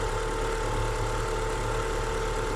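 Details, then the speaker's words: Great Wall Hover engine after its timing belt jumped 4 teeth when the vehicle rolled back in gear. Before the fix it knocked like a diesel and idled unevenly. After re-timing, with no bent valves, it idles smooth and even with a steady low drone. "Работает достаточно ровненько."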